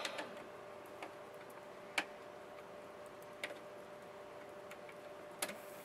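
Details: Emotator 105TS antenna rotator control box after replacing the indicator drive elastic with a thinned rubber band: quiet steady hum with faint sharp ticks about every 1.5 seconds as the direction indicator turns; working normally.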